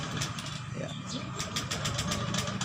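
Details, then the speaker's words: Honda Beat scooter with the fuel injector connector unplugged, key on: the starter spins with a quick, even chatter but the engine never fires and the fuel pump doesn't run; no-start from disconnected fuel injector. "tidak mau ya mesinnya mogok fulpam juga tidak berbunyi"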